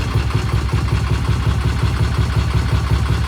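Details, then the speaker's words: Vintage British motorcycle just after a 5-speed transmission repair, started on one kick and idling while warming up: a deep, even thump at just under three beats a second with no clatter or misfire. A great, healthy idle; the throttle cables still need freeing for better snap. "Boy, it sounds good, doesn't it? Yeah. That's a great idle right there."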